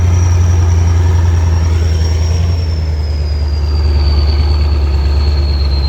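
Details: Kirovets K-700 tractor turning in a field; deep steady diesel rumble with a clear high turbo whistle slowly dropping in pitch, normal turbocharger sound.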